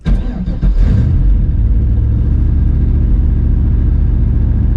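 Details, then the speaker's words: Big-turbo LS6 Volvo wagon, ~650 whp, new 3.5in stainless exhaust with Vibrant and Borla mufflers, on the road: brief blip into deep, even, muted rumble, no rasp or drone; possible downpipe leak suspected, diff now loudest. "way quieter sounds good it's quiet it's kind of weird i can't tell where the sound's coming from"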